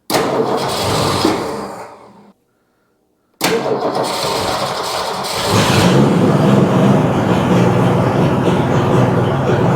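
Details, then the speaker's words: 1962 Ford Fairlane 500 with three-on-the-tree manual, started after sitting years, engine fairly cold: cranks, catches and settles into a smooth, even idle with no knocks or misses; idle could be turned up a little; normal idle. "Oh yeah. Look at that, just purring along like a Singer sewing machine. Might need to turn that idle up a little bit."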